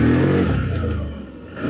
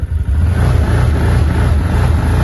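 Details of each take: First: ODES Pathcross 650 ATV after the fix (a wire cut): engine revs up cleanly, note falls and recovers smoothly with no stumbling or surging; pulls normally through the forest; normal acceleration. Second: ODES Pathcross 650 ATV, throttle over 50% or pulling away on a steep hill: revs climb then sag and rise again in waves, engine chokes instead of pulling; the dealer called it belt-overheat protection, owner doubts it; rpm surge and bog.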